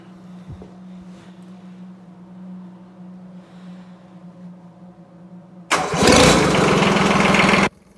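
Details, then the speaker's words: Case 220 mower tractor with Kubota D600 diesel swap, hydraulic drive, fired without coolant or radiator: sharp crank, diesel catches at once and runs loud and steady for two seconds before shutdown; normal start and idle. "no coolant in it no radiator but I couldn't resist just firing up just to hear it run again"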